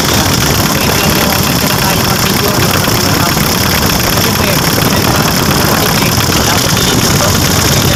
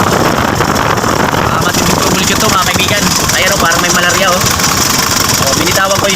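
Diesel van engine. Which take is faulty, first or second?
second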